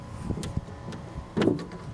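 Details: 1999–2007 Chevy Silverado/GMC Sierra 1500 tailgate after fitting new rubber bushings; a few soft dull thumps with no sharp metallic rattle, the gate now much snugger though still slightly loose.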